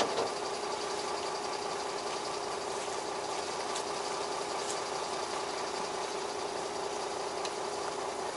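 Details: Cold-day start of an old Beaver motorhome on the Gulf Coast after a dead starting battery that was low on water; it runs better at 13.7 V charging, steady even idle clatter with no misses or surging, smooth once warm: normal idle.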